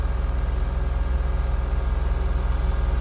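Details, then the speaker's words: Mahindra Bolero BS6 diesel with DEF/urea fault, during scan-tool-commanded DPF regeneration: even raised drone above 2,000 rpm with steady pulse and no throttle input; normal high idle while the particulate filter burns off. "देख सकते हैं RPM दो से ऊपर है accelerator pandal प देखिए खुद बुद यह आरपीएम हाई है टेस्ट रनिंग में है"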